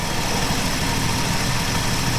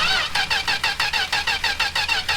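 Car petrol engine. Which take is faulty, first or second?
second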